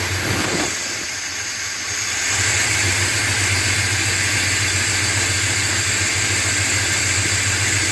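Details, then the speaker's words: 2001 Dodge Ram 1500 Sport, swapped-in used engine after crank sensor change: extended fast steady cranking with a hiss because the fuel rails are full of air, fan hitting the radiator hose, before it finally catches. "hang on yeah the Fan's hitting the rad hose is it yeah hang on oh rails are full of air"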